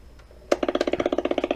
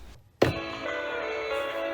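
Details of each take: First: Sony Dream Machine ICF10W radio on FM, right after switch-on: steady putt-putt pulsing about fifteen beats a second from the speaker, motorboating; failing capacitors suspected, not yet traced. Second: Sony Dream Machine ICF10W solid-state clock radio, owner reported noise on power-up, after repair: clean, undistorted music at steady volume with no crackle, hum or dropouts; normal radio playback.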